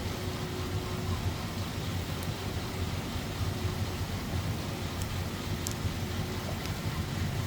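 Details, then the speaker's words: 1935 Pierce-Arrow Model 845 limousine with a 385 cu in straight-eight and Stromberg carb, idling with the hood side panels open: a very faint, soft, even hum so quiet it can barely be heard. Smooth, healthy idle. "Hood panels so you can see this engine bay running in case you don't believe me cuz you you can barely hear it"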